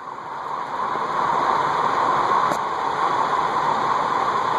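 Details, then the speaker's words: Cast iron Heat Recovery Systems L-356 industrial ceiling fan, circa 1991, running at high speed after being freed from seizure with WD-40 soaks and oil; steady whirring hiss, no knocking; bearings still loud and stiff, worn, need more soaking. "I would definitely do some more work on it because the bearings are still pretty loud and I don't think they're as free as they could be"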